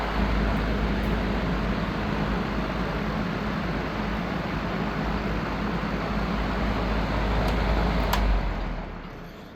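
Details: Vintage Lakewood Country Aire C-720-3 three-speed box fan, Westinghouse motor (said to do better once warmed up), on high: strong steady air rush with low hum underneath, even and unbroken; normal running.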